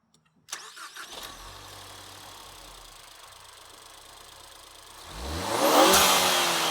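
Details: 2017 Ford Focus ST turbo, started after fitting a reusable Green Filter high-performance air filter in the stock airbox: the engine catches and settles to a quiet idle, then a sharp rev swells loudly with an airy intake rush, with a bypass-valve whoosh on lift-off; sounds healthy.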